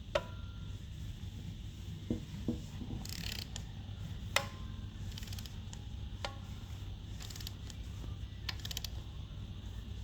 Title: 2020 challenger creaking noise from rear top end